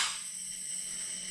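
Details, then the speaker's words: Ducati 1198 engine on a leak-down test, cylinders pressurised: a steady high hiss of air pouring out the exhaust port, an exhaust valve not sealing at first; leakage fell to normal after repeated testing. "But when I started, it had sort of this much leak down. You can hear the air pouring out of the exhaust port."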